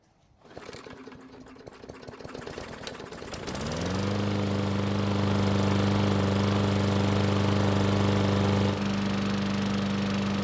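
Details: Craftsman lawn mower after a carburetor rebuild and fuel refill: silence and a pull, then the small engine catches near 3.5 seconds and settles into a steady, even run; running smoothly now.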